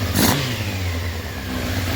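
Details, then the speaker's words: 1993 Honda CBR900RR California spec, after fixing the header exhaust leak and cleaning and syncing the carburetors: revved with the clutch pulled in, the four-cylinder gives a smooth even note with no more rattle from the clutch area. "so now that the exhaust leak is gone and the carburetors are all cleaned out it's uh no more no more noise let's pull the clutch in same thing rev it up"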